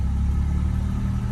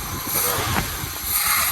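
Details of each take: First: 1980 Chevrolet Malibu, carbureted, pulling away from a stop: even low rumble with no stumble or cut-out. Previously it stalled whenever the gas was pressed from a stop, suspected carb-related. Now it accelerates cleanly, normal acceleration. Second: 1980 Chevy Malibu that stalls pulling off from lights, carb suspected: throttle blips give uneven bursts with sharp backfire pop over a shaky lumpy idle; carburetor needs tuning, cause unconfirmed.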